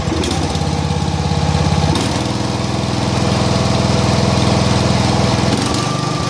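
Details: John Deere mower engine chugs unevenly with the new plug fitted, beat stumbling instead of holding steady; plug changed and carb cleaned without help, rough running actually caused by over-oiled foam air cleaner restricting air.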